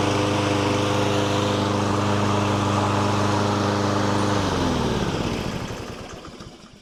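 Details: Lawn mower that had been surging, hunting and stalling: steady, even engine note holding speed without hunting or surging, then a clean wind-down at shutoff; runs smoothly.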